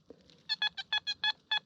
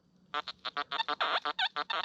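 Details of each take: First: Metal detector on hot program 9 at 25 kHz swept over a single pound coin: crisp, even high beeps about six to seven a second, a clean solid non-ferrous coin signal. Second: Metal detector on hot program 9 at 25 kHz swept over a hoard of stacked coins: rough, low grunting bursts about three a second. Both the display and the audio read iron despite the non-ferrous coins.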